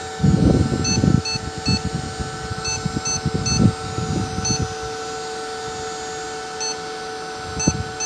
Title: Fujitsu Siemens Beeps